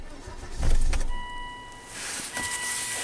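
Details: Volvo wagon crank no-start: the starter cranks steadily but it never fires, with no fuel delivery; the fuel pump control module is bad.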